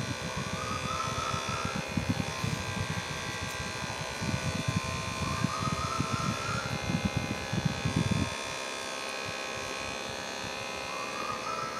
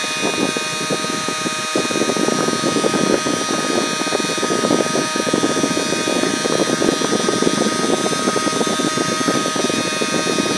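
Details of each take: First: 3D-printed mini turbine scaled about 60%, tiny RC helicopter motor at about 1.5 volts: thin, even motor whine with fan buzz that steadies and softens near the end; spinning smoothly. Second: Scaled-down (about 60%) 3D-printed mini turbine driven by a tiny RC chopper motor: steady high-pitched motor whine with a rough buzzing rattle throughout, the printed turbine vibrating as it spins; less bad when held.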